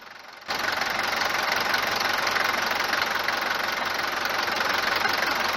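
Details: Mercedes 190 diesel at cold morning start clatters hard and sharp right after firing, a loud busy rattle over idle beyond normal injection tick; no oil consumption; suspected injectors or injection pump timing, not confirmed.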